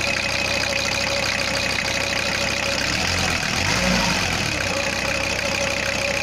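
Steady diesel clatter at idle, even and settled with no stumbles or odd knocks, engine running normally.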